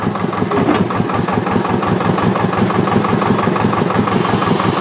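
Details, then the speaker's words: Thwaites Tusker digger at engine tickover, after fitting 2.2 mm hydraulic restrictors and check valve: steady low idle with soft hiss as the bucket arm lowers slowly and controlled; normal hydraulic restrictor hiss. "look out nice too controlled you can hear that hissing sound that buckets coming down"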